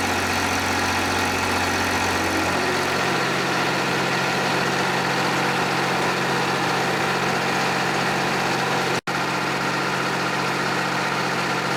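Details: John Deere 350B bulldozer, rebuilt diesel engine on its first start since rebuild: fires, settles quickly and holds a steady, even low idle with no knocking or stumbling; normal idle.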